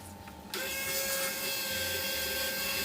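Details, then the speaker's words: RC car winch on a third-channel winch controller fed 11 volts, bypassing the receiver: after a quiet start the motor spools out much faster with a steady, high, even whine, running smoothly. "so straight away you can see that it's spooling out a lot faster okay and you can probably hear the motors as well going around a lot faster"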